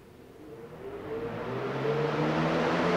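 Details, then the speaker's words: Arduino-controlled DIY shop air cleaner fan, first power-up with low speed selected: motor spools up with a rising whoosh and hum into a fast roar; owner suspects the two speed wires to the relays are swapped, later confirmed high selection runs low. "works first try although with that noise it sounds like it's high so I think I probably have the wires mixed"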